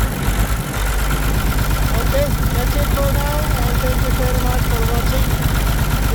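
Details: Caterpillar C13 diesel idling with the valve cover off during an injector-by-injector cut-out test; engine smoking. Uneven, lumpy beat about two a second with a stumbling pulse, consistent with a misfiring cylinder. Cause suspected, not confirmed.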